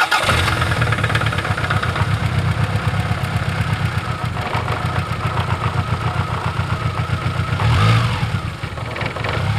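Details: 1996 Toyota Camry first start after a timing belt and water pump replacement, unrun for over a month, with the alternator disconnected and no coolant: it cranks, catches and settles into a steady low rumble, running somewhat rough.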